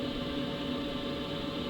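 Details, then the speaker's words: BougeRV diesel heater in a DIY travel trailer running on high at 5 kW after ignition: even, steady airy roar with constant hum, no ticking or surging; normal operation. "that's the sound of it on high 5 kilows and obviously there."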